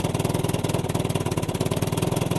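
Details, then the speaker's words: Old Evinrude 20 hp two-stroke tiller outboard, revived, held in reverse: quick, even putter with no misses or knocks; it won't rev fully without gear load, so it is running normally. "Seems to work. Yep, so it doesn't rev up all the way without gearing."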